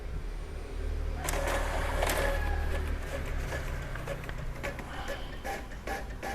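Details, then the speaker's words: Epson L3110 printer, previously paper and ink lights blinking together, printing three pages: even clatter with rapid regular head ticks, three or four a second, no grinding or stalls; normal printing. "Ya sudah berhasil ya pintter sudah berhasil normal"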